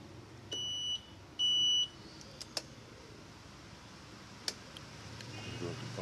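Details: Honda Vario 125/150 scooter remote: two steady high-pitched answer-back beeps, each about half a second, then a few light button clicks in a quiet room.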